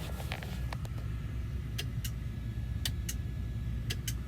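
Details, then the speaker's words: Sharp double clicks about once a second from a truck's main sleeper light fixture over a diesel idle. New LED fluorescent-style bulbs were fitted after the old ones charred. The fixture gets power but won't light, and the clicking stops when its plug is disconnected. "you can hear it clicking in there"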